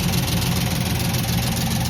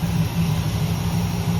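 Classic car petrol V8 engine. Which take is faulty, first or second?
first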